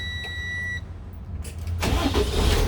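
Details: 2015 Freightliner M2 26-ft bobtail, Cummins diesel, that previously only started by jumping the starter. Fuse replaced (20 A standing in for 10 A), codes 3328/3526 reset. Chime, pause, then the starter grinds and it catches and runs steadily. No-start cured.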